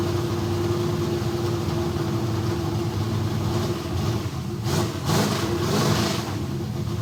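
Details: Kyle Petty Pontiac race car V8 fire-up in shop after electrical fix and carburetor bowl priming: catches and settles into steady lumpy rumble with a couple of throttle blips, running cleanly; cranking voltage drop remains, rewire planned.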